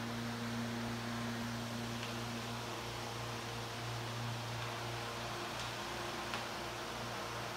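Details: Likely 1930s Delco 22" industrial floor fan, 1/5 hp, 1750 rpm capacitor motor with centrifugal switch, 18" Torrington blade, at full speed: even low hum with a soft whoosh of air, no knocks or rattles; running smoothly and surprisingly quietly.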